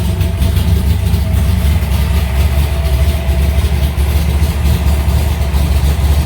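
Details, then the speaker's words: Alumacobra V8 started after two months sitting, in the garage: fires right up into a steady, even low idle rumble, no knocks, misses or ticks; normal idle. "Sounds good."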